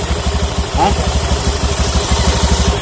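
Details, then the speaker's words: Honda Beat FI scooter after CVT service, CVT noise gone: quick, even idle beat with no drive-side clatter; normal idle. Still due cleaning, oil change and injection reset. "udah sembuh Ini tinggal paling servis bersih-bersih lagi pergantian oli terus sama reset inject"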